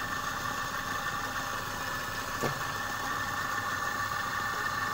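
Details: Repaired compressor after a stone lodged in the valve jammed the piston and stalled it; run after rewelding a leak to recheck for leaks, repair then declared finished. Smooth, even hum with a steady mid-pitched tone, no knocking or rattling; running healthy.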